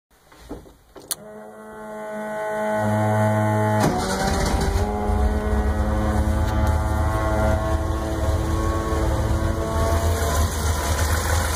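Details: A steady tonal whine sits over the even idle at a constant pitch; the noise turned out to be a bad alternator.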